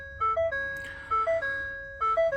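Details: 2021 Ford F-150 3.5L V6 PowerBoost Lariat with Stop Safely Now, no-start and IPC warnings, after ignition off, post 12V battery disconnect: few-note chime repeating about once a second; truck restarted later once cooled.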